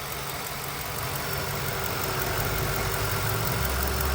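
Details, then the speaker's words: Lincoln Town Car V8 at idle: steady idle, then a low droning hum swells in as the electric cooling fan kicks back on. The fan stops and starts about every 30 seconds and is going bad. "it's the fan it's the fan I just saw it I could see it stopping and starting the fans going bad the cooling fan"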